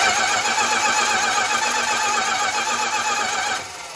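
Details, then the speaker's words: 1965 Plymouth Barracuda, original 273 V8, 138k miles, off the road since the mid-1990s, cranking with new spark plugs; fast even starter cranking about four beats a second, no gallop, compression sounds balanced. "like it sounds relatively even you can hear it kind of speeding up kind of slowing down but sounds pretty decent no obvious gallops or anything"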